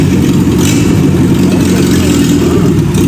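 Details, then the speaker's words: Fiat Padmini under restoration, no exhaust fitted yet, test drive after new parts installed: loud raw unmuffled engine note pulling steadily with no knocks, misfires or rattles; engine runs healthy. "So வண்டி வரும்போதே பார்த்தீங்கன்னா அந்த சவுண்டை கேட்கறதுக்கு அவ்வளோ சூப்பராக இருந்துச்சு."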